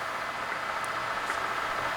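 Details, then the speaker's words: 2007 Kingston HR3000 34"/46" x 120" gap bed engine lathe, spindle shifted from low to high range, about 70 RPM: steady, even gear whir with no knocks or rattles; headstock drive runs smooth. "Now we're in our high speed. Looks like we're at about 70 RPM."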